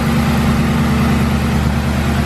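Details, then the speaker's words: BMW at first startup, part of the air intake not yet hooked up: steady, even low hum with no knocks, misses or ticks; smooth, normal idle. "sure she runs good since I don't have any of the other air intake stuff hooked up I probably won't let it run for too long"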